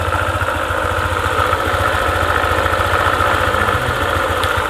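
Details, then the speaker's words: Honda ADV 150 (about 2020), engine idling: light irregular clicking, about two per second, from the CVT area, heard only at idle and gone when the throttle is opened; worn CVT bearing. "Sekarang, perlahan-lahan mulai mengeluarkan suara. Klik, klik. Nah, itu dia suaranya, ada bunyi klik."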